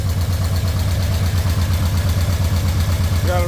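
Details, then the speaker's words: Nissan 240SX four-cylinder after fuel system rebuild: tank cleaned, new pump, fuel lines and filter, injectors cleaned and refitted; steady, even idle, smooth low pulse about three firings a second, no miss, runs on all four cylinders: normal idle. "the timing light there it is and runs on all four cylinders"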